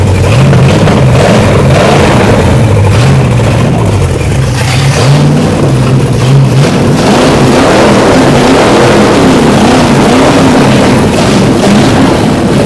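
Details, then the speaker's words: Overhauled 1968 Dodge 318 V8, seized 20 years, on open stock manifolds: a loud, raw rumble climbing and dropping cleanly with the throttle, firing evenly with no knocks; it sounds choppier on camera than in person. "It sounds good in person. On camera, manifolds always sound choppy."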